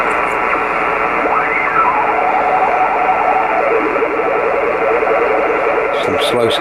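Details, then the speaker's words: Kenwood TS-520 HF rig, dirty with moisture damage, revived with few parts: on outside antenna, 20 m, upper sideband, noise blanker off, band hiss with sliding tones and warbling slow-scan TV signal; weak signals hard to tune, receiving normally. "okay we'll go back to the upper side band position turn the noise blinker off already see it's receiving something"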